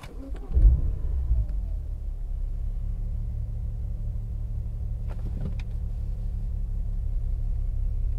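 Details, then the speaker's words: BMW E92 335i, N54 engine with 17T hybrid turbos, while driving and coasting off throttle: deep, uneven loping rumble like a big cam though it has none; misfire with no fault codes, owner suspects a cylinder down on compression. "like it sounds normal and then i mean it's almost like the car has a cam which would be kind of cool but it does not have a cam something has happened to it"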